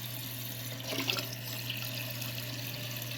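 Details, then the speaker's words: Toilet tank refilling after replacing the part blamed for a hissing noise and not filling: steady rushing water with low hum, no hiss, then shuts off; normal refill after repair. "it's just filling up. Yep. Is it supposed to do that? We'll see what happens. Hopefully it turns off."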